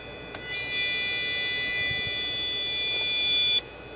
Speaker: all right stop my video earlier the state and the motherboard is 77 but this damn squeaker beeper buzzer thing won't shut up